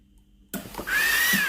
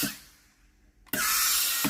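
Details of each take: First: Philips GC9682 steam iron, steam not coming out with the water button; microswitch pressed fully: sharp click then steady hiss of steam with faint whistle, solenoid valve working normally. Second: Philips GC9682 steam iron: on pressing the water/steam button a loud steady sharp steam hiss sounds at the front; the water valve works normally, and the front heater is clogging and must be replaced.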